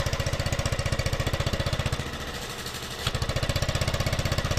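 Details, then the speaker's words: 2016 Yamaha XMAX 250 scooter, original exhaust suspected broken apart inside; slow to start, heavy shaking and tak-tak knocking on pull-away, clutch slipping. Loud uneven clattering rattle over a rough idle, like loose baffles; exhaust rattle at idle. "Niye bu kadar geç çalışıyor motorumuz da aşırı bir titreme var yani kalkışta bildiğin böyle Tak Tak Tak tak vuruyor debriyaj cayı cayı kaçırıyor belli egzoz sesi bu"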